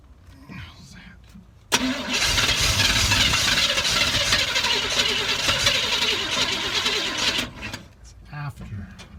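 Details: 1986 GMC Jimmy 350 after lifter work and intake reseal, started with a timing light fitted: it catches quickly, then runs a loud, uneven, lumpy beat for several seconds before shutting off; ignition timing is badly off.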